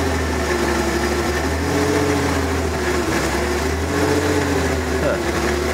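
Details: Circa-1994 Ford F-150, 300 straight-six, after fuel filter change, debris suspected in fuel line: idle surges up and down every second or two; pulsating rough idle only at idle, cause unclear.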